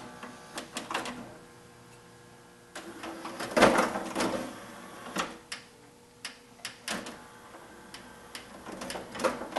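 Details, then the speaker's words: Sony 5-disc CD changer, broken when received, before repair. Irregular whirring, clicks and clunks as the platter keeps cycling and stopping; platter mechanism malfunctioning from faulty position sensing. "oh it is jammed oh maybe there it goes no not happy huh okay try again"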